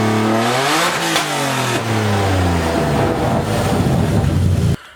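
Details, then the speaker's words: Verbal-tuned BMW E30 inline-six revved after exhaust manifold install on first start-up, not yet full exhaust; raspy sweep up through revs, holds high, loud but clean, hardly any overrun popping. Normal revving. "I'm gonna rev this thing because there is a verbal tune on it and I've been dying to hear it."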